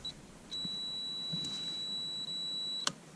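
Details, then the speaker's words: Drive-by-wire LS-swapped SS Monte Carlo, wiring factory cruise control switch: multimeter on continuity across switch wires 1 and 3 gives steady high beep about two seconds, cutting off cleanly; continuity through switch. "This is all the wires dead end here. I'm just checking for continuity."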